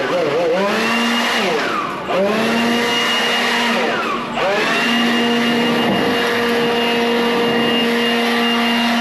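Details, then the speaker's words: A motor on an owner-operator's truck: loud, steady high-pitched whine that sags and climbs back twice, sounding strained and rough; the owner suspects the motor is going. "sounding too good anymore. The motor sounds like it's going."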